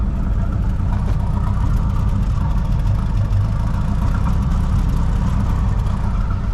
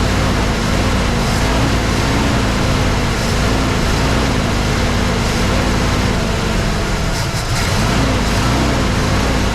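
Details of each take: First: 1983 Mercury Capri RS, first start after sitting since 2013, booster pack attached: an even, steady low drone at about 1800 rpm raised idle, with slight smoke and no knocks, misses or surging. Runs smoothly and healthily. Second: 1983 Mercury Capri RS that sat since 2013, carburetor reportedly rebuilt, new fuel filter, first run: the idle note wavers and dips every few seconds, struggling to hold steady. No knocking or smoke; the choke is a possible cause, unconfirmed.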